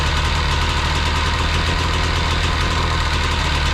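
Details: Jet boat two-stroke engine with freshly rebuilt carbs, fresh gas: fired right up, steady buzzing idle with constant low rumble, no stumbles or surges; settles and holds even.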